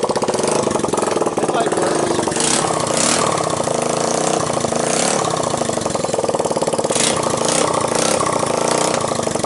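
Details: 1985 Honda ATC 200X junkyard three-wheeler after a cold start on starting fluid, camera on the tire. Crisp single-cylinder putter with quick, even firing and clean blips; no valve tick, timing chain rattle or bottom-end knock. Normal running.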